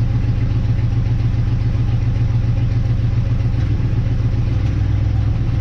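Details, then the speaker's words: 1958 Dodge Coronet Lancer V8, barn find sitting 30 years, after checking condenser, coil, rotor and cap; low idle losing its even beat with an uneven stumbling sputter, shaking, rougher than at first start; misfire, cause not yet found. "still doing that sputter thing for my recollection when this thing first ran it was very smooth now I can see it shake a little still sputtering"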